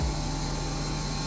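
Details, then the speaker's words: Honda CRX drag car with a redone, relocated electric fuel pump, powered directly with a jumper wire during a leak check. Constant, even whirring hum at steady pitch, no surging or grinding; fuel moving in the tank with no leaks. "go bubbling around what the G say uh 50 it's moving in tank good"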